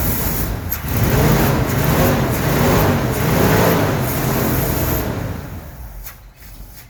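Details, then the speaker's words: 1969 Ford F100 after carburetor rebuild, check ball removed; catches, runs briefly, loses speed and stalls within seconds; float bowl not filling, fuel starvation. "Something's wrong. The float or the bowl was not even filling up, so something's wrong."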